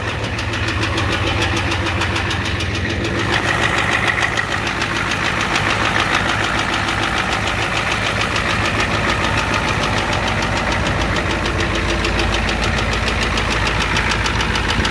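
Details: 1988 Ford F250 7.3L IDI diesel at idle: loud uneven knock over clatter; high-pressure fuel line leak, white/gray exhaust smoke, smoke from oil dipstick, oil in add zone; cause unconfirmed. Diesel engine knocking at idle.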